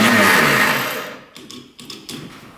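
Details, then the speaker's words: 1960s Ski Daddler snowmobile electric starter: a high whir that quickly winds down with no engine compression beats, then a few light clicks. The starter motor works and the connections are fine, but it spins freely without engaging the engine. "so it's not actually spinning the engine though the motor's gone but it wasn't spinning the engine you can hear it just spin the um not grabbing anything"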